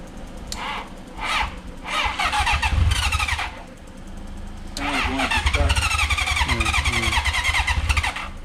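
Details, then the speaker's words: 1982 Honda CB750K, carburetors cleaned, not started in years, spark confirmed, possibly flooded: several whirring starter bursts with uneven chuffs as cylinders nearly fire; engine almost catching, choke to be added, and it then ran. "Sounds like it's about to go. Give it a little choke."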